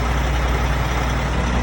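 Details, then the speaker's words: Volvo truck after air system failure on the highway, air dryer and governor purge assembly replaced: steady low diesel rumble with the compressor churning evenly, no leak hiss, building air again normally after the fix. "Just like that. That was our problem. This goes back to what I'm saying. And she's starting to build air again. Perfect."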